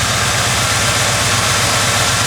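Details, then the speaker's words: Ford Crown Victoria V8 drift build after Seafoam: even, steady idle with low smooth rumble, no misses or shake; runs much better than before. "engines not shaken I mean it hasn't miss you will feel the myth I mean I could put my hands on top of the car and engine ain't rumbling"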